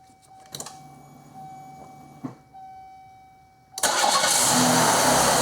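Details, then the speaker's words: 1995 Oldsmobile 88, 3800 Series II, with a worn timing chain still to do, after replacing the faulty module that had caused the no-fuel-delivery no-start with a junkyard part: a chime, then an immediate catch and a steady, even idle; a normal start. "you go mati is running again it was important for us to get it running before we did the timing chain"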